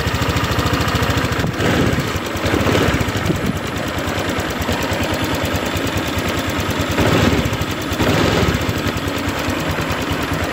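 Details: Vario 150 scooter after repairing the rat-bitten side-stand wire that caused misfiring and hard starting: even, steady idle pulses with no stumbles. It now runs smoothly.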